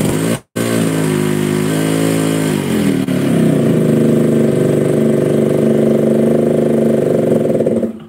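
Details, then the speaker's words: Yamaha RX-King two-stroke load test, stationary in gear with brake held and clutch released: steady buzz keeps running instead of stalling at once, showing compression leakage below and above, from worn piston rings and cylinder. "jika motor ini memiliki performa yang normal Maka langsung mati begitu kopling lepas langsung glak ya ini harusnya seperti itu Lur lah kok ini tetap hidup e gek Ya paham maka bisa disimpulkan bahwa adanya kebocoran kompresi bawah dan atas"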